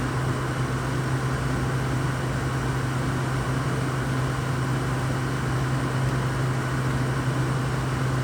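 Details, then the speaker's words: Used, cleaned Frigidaire window air conditioner, about 83°F outside with the unit in sun: steady fan hum with a low drone; owner hears no compressor kick-in, though the air feels fairly cool. Compressor not running. "I don't hear the compressor. Air feels pretty cool."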